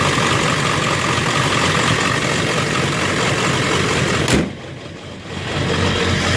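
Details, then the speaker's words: Ford 7.3 Powerstroke diesel with new ICP sensor and new IPR, fuel pressure 65 psi: intermittent uneven, loping idle with stumbles before snapping back smooth; owner suspects a bad wire, one injector not firing, or air in the system. "I don't know if I got a bad wire or something. It's just, it sounds like one injector isn't firing all the time."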